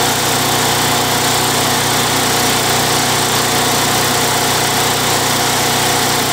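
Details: Craftsman Eager 1 mower, Tecumseh 92cc engine, after repair of surging: steady, even buzz at constant speed with no hunting or surging; running smoothly.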